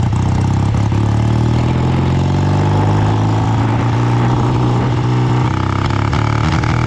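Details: BSA twin-cylinder chopper, home built, on a short half-mile rainy road ride after years off the road. A low, lumpy exhaust rising with throttle, with uneven stumbles as one cylinder seems to drop out: a misfire under load. Owner suspects carbs or ignition; still running poorly.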